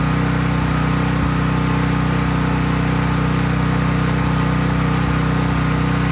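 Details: Craftsman 5000-watt generator running with no load, only an LED bulb plugged in: steady, even drone at constant speed, about three beats a second, no surging or hunting; normal running.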